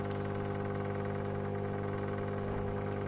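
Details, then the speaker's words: Power amplifier with Simenic SM027A tone control: constant low buzzing mains hum at fixed pitch and level, unchanged whether volume is turned up or down. "Jadi menimbulkan suara dengungan."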